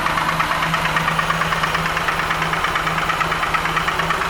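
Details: Crest pontoon boat outboard engine running with a sharp, regular knock about twice a second over the engine note; cause not yet found.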